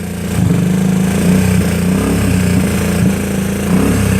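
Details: GY6 scooter, warmed up, carburetor just dialed in: small single-cylinder buzz picks up cleanly on throttle blips and settles back evenly; engine healthy and responsive, though the RPM gauge isn't moving while throttling.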